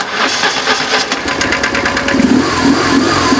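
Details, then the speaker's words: BMW R850R boxer twin just after start-up: quick metallic clatter over idle from cam chain slapping around, prompting cam chain tensioner replacement. "Well, basically when you start the bike, you can sometimes hear the chain clanging around inside."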